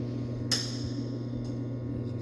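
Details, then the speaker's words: Trio-Tech pressure test at 90 psia on the vessel, soak timer counting down: sharp metallic click and fainter clicks over a steady hum as the valve maintains pressure, normal, stopping once stabilized. "And you hear that clicking, it's just trying to maintain that pressure. That'll eventually stop once everything stabilizes and maintain the 90 psi."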